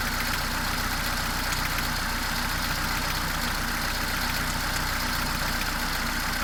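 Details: Mercedes A-Class W168, 1.6 L petrol, automatic, 18 years old, about 150,000 km: steady idle with loud, somewhat uneven clacking about three times a second, beyond the normal valvetrain noise; cause unknown.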